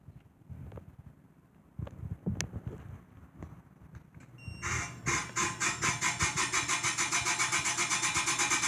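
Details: Chefman appliance starting up: scattered clicks, then the motor runs with a harsh pulsing grind about four times a second that stays steady; scary grinding noise, cause unknown.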